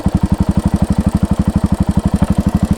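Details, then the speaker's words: Royal Enfield Hunter 350 at idle on stock exhaust, noise worse when engine hot or after 30–50 km: steady idle with metallic clack about four times a second; owner suspects timing chain, cause unconfirmed. "अभी check करो guys कैसी आवाज आ रही है खनखन खनखन"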